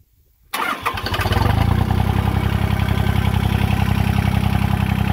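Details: John Deere 1050 tractor diesel: catches at once and settles into a steady, even clatter at idle, about 220 beats a minute; runs healthy.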